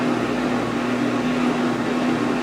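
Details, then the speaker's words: Top-load washer (replacement for a failed Whirlpool) switching to its final spin with about 8 minutes left: a steady low hum and even whoosh as the drum starts slowly and speeds up, with no knocks or grinding. The spin is normal. "And it starts off pretty slow and it goes faster and faster and faster. Pretty soon it'll be really humming along."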